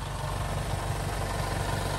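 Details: 2019 Honda Passport at about 120k miles during its 100K major service. At idle a faint rough scraping rides over the engine note; a foreign object is rubbing on the AC compressor, though the accessory belt was also suspected.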